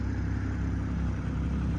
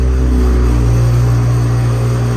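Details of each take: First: 2020 Toyota GR Supra 3.0 Premium with no leaks and no mechanical issues, driven probably at least 150 miles by the seller: a smooth, even low idle with a steady beat and no knocks or ticks, a healthy engine. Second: 2020 Toyota GR Supra 3.0, factory catback exhaust with the valve actuator not fitted, cold start: loud idle with a light metallic buzz on the engine pulses from the loose exhaust flap; rattle fades once warmed up.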